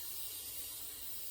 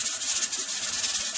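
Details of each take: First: Pressure canner after about 40 minutes cooling, gauge weight lifted releasing a faint, thin steady hiss; still a little residual pressure, so it is left longer before opening the lid. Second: Pressure canner processing tomatoes on a gas stove: steady steam hiss with rhythmic jiggle pulses as the weight rocks; normal operation, pressure holding.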